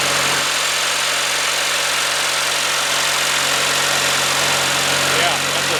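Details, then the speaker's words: Early-1990s Craftsman GT6000 tractor with a Kohler Magnum 18HP, just after a complete carburetor cleaning and rebuild, settling into a steady, even idle with no misses or surging; it sounds healthy and smooth. "amazing my goodness that sounds so nice this is one of those engines that I think if you take care of it just going to run forever"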